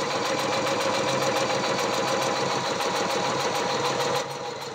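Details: Briggs & Stratton vertical mower engine converted to horizontal with an oil splasher, valves lapped to 60 psi compression, overfilled and spraying oil from the PCV: a fast uneven clatter at 3–4 per second that weakens near the end. Poor running; owner suspects the carburettor.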